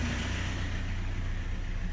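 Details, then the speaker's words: Chevrolet S10 (1998–2001) after swap to a Cavalier/Sunfire 2.2 litre engine with new valve cover gasket, first start: steady low even idle rumble, no knocks or ticks; normal idle. "Well, she started up. Everything's running really good. Very happy with the result."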